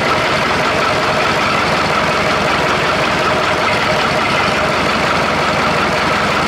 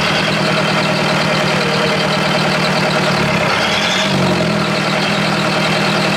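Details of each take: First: Perkins diesel in an old Australian-made Chamberlain R1250 tractor crane, running: even, steady idle with a smooth beat and no knocks or stumbles; sounds good running on all four cylinders. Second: Perkins diesel in an old Australian-made Chamberlain R1250 tractor crane: slow, heavy chug close to stalling, then pitch lifts around four seconds as idle is wound up; idle set way too low, engine just turns off.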